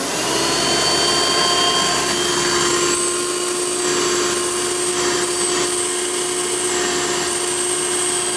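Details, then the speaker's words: Vintage 1990 Hoover Elite 700 upright vacuum (U4511-900), direct-air design: steady high motor whine with constant airy hiss as air leaks past the bottom-mounted attachment converter, heavy suction leakage. "and as you can hear definitely a lot of suction leakage but so it wasn't really the most ideal setup for these Hoover Cleaners back then"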